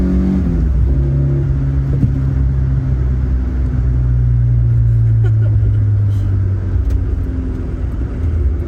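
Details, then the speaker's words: AE86 GTS with built 16-valve engine on a newly tuned Haltech Elite ECU, accelerating through gears to the 7,500 rpm redline: clean pull with a steady, even note, no stumbles; the earlier hesitation and misfire-like feel are gone. "It feels so willing to get wrung out. We can finally drive the car properly. Before, it was hesitating all over the place. It felt like there was misfires, but now it's just smooth sailing all throughout the 7,500 RPM red line."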